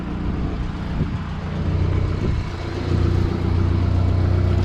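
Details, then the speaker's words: 1987 Acadian (Chevette) at idle after a temporary weld on the pipe just before the cat: a faint puffing tick on the exhaust note from a small leak at the front pipe flange, which is then tightened. "like oh yeah a little leak at the flange I'll tighten that up"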